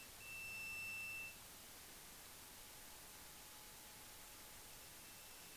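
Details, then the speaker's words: Multimeter continuity beep, about one second, steady and high-pitched, measured on an Asus A512F laptop board with power off: the suspect component is shorted and is confirmed as the cause of the short circuit. "voilà ça BIPE ok donc c'était bien lui qui nous posait problème"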